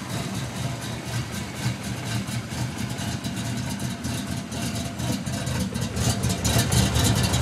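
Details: 1992 Ford Mustang GT V8, high compression, camshaft over ?/inch lift: deep choppy idle with steady big-cam lope, no stumbles or misses; healthy, stays under 180° in traffic with air on.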